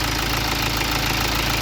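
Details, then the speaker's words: BMW diesel that died on the road after its timing jumped several teeth; a high-pressure pump failure was first suspected. Restarted after the timing fix, it idles steady and even with a regular soft clatter, less noisy than before. Normal idle. "Nabawasan pa yung ingay niya dati. Dati maingay dito eh."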